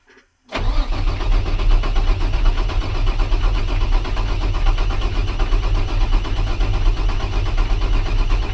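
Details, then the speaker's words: International 4400 DT466 diesel after water pump and surging-idle repairs: steady even cranking for eight seconds with no firing, worse than before; long crank, no start, cause suspected but not confirmed, left to cool. "Shoot, that's worse. [Music] You got to be kidding me, man. How is this possible?"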